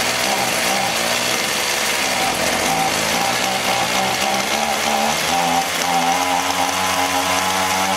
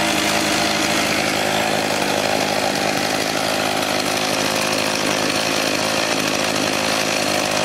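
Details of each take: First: Echo HC-1600 hedge trimmer, long unused, running after carb work: steady high two-stroke buzz with a slightly hunting note; running lean, so the hidden high-speed carb screw needs opening about half a turn, then idle may need resetting. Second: Echo HC-1600 two-stroke hedge trimmer, revived after sitting a long time, after opening an adjustment half a turn: steady, even high-pitched buzz with no surging or stumbling. Engine running cleanly.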